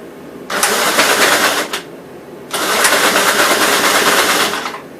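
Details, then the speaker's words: 1957 SR Gravely single-cylinder after top-end rebuild with 15-over rings, refueled: two bursts of busy putter settling into steady idle. Idles decently, no longer smoking as it heavily did before the rebuild; normal idle. "not so it's pretty good it idle's pretty decent and everything it's not smoking"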